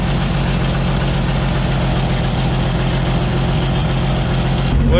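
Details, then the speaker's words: 1944 Chevy Blitz WW2 army truck, restarted after its first start in 30 years and a radiator fill: the petrol engine idles with a steady low thrum and even beat, no knocks or misses. Healthy, settled idle. "cleaning out the cobwebs i've been here is running a lot better now"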